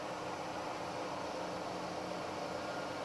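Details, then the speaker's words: Milling machine running with the quill feed transmission engaged and turning: even, steady mechanical hiss and hum with no knocks, grinding or rhythm changes. Feed gearing running normally. "that's part of the quill feed transmission to engage that transmission into the quill pull this lever back"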